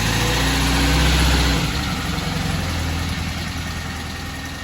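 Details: 1968 Porsche 912 air-cooled flat-four with rebuilt, tuned carburetors after fixing a bad fuel hose and doubled-up O-ring: brief blip then steady, even idle with smooth burble; healthy, though an exhaust leak remains.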